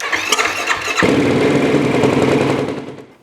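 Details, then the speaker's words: 2009 Yamaha YFZ450R ATV after a no-start traced to the main fuse, replaced with the 20 A spare: fuel pump heard, short starter whirr, then the single catches cleanly and settles into a steady, even idle. "lights are coming on I can hear the fuel pump so I bet she starts up now"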